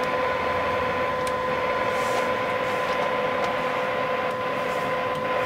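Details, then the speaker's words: CB radio receiver, volume wide open, no noise blanker, fed a calibrated RF generator test tone at -137 at 100% modulation: clean, steady mid-pitched tone with only faint hiss; receiver working properly at very weak signal. "And you hear that tone. That's negative 137."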